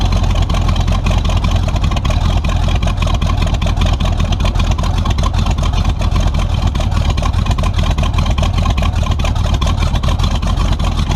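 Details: Tunnel-ram 350 V8 with two Edelbrock 600 cfm carburetors (1405/1406): loud rumble with choppy, stuttering pulses instead of a clean pull. Owner suspects a lean surge; a possible vacuum leak is found.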